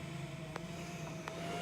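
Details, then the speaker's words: Unidentified steady mid-pitched whine over a low hum and soft fan air rush, with a couple of clicks, while testing a switchback amber/white LED fog light bulb for a Ford F-250 Super Duty; the owner says it is not the bulb, whose fan is only the air sound. "But that sound, I don't know what that is. I don't know where that's coming from, but it's not the bulb, okay?"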